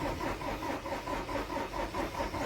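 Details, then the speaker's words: Ford Transit Mk7 diesel on an icy morning. Steady rhythmic cranking at about four beats a second with no firing at all. No start due to failed glow plugs, which are then replaced. "In this video we're going to be installing some glow plugs in a Transit. It's a very icy morning here, and as you see, it won't start."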